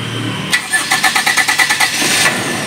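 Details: Toyota Kijang LSX whose starter only clicked, after adding a relay circuit to the starter motor: brisk, even cranking about seven beats a second for under two seconds, then engine catches cleanly; starter turning strongly.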